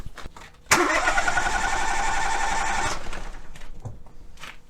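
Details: Ford three-cylinder engine cranking during a relative compression test by battery voltage on an oscilloscope: about two seconds of steady cranking, evenly spaced beats near four a second; even, healthy compression.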